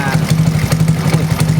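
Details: Honda Astrea Grand 96 after the body wiring was rebuilt from scratch: small single-cylinder idling with a steady, even low putter and no knocks or misses. Charging voltage reads 14.5 V. Normal idle.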